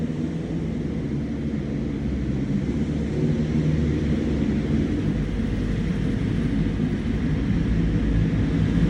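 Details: 2022 BMW S1000RR at idle: moderately rough, airy-sounding idle with slight backfire, like running on two cylinders; cylinder 4 injector disconnected (code 3A1CA2), exhaust leak also suspected.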